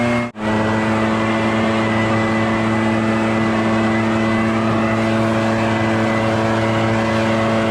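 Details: Barn-find Echo PB650 backpack blower on fresh gas after years stored, clearing a shingle roof: steady, even high-pitched two-stroke drone holding one note, no surging or missing; normal running under load.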